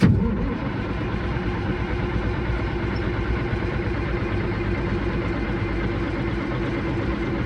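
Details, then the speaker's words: Caterpillar 3406E diesel in a D350E Series 2 haul truck, 18,676 hours, fuel primed: long, steady cranking that never catches or fires; not a fuel problem, as the engine ECM is not communicating, attributed to a loose pin in the broken ECM plug. "huh well after about three rounds of cranking on it I decided that maybe it's not a fuel problem after all so I went and grabbed the laptop and sure enough I'm not communicating with an engine ECM"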